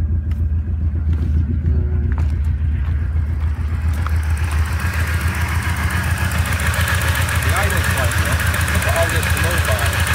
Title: Bad idle, crank vent to intake